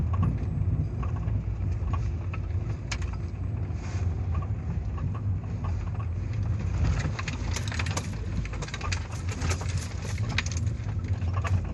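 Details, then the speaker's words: Mitsubishi Lancer 9 driving over small bumps and rumble strips: steady road rumble with loose, irregular metallic rattles from the rear left wheel arch, worse on small bumps; trim removed, cause not yet found. "левая арка жестоко что-то дребезжит на ходу по кочкам по мелким в основном по крупным не особо"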